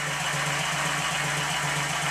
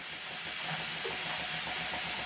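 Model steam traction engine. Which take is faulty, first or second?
second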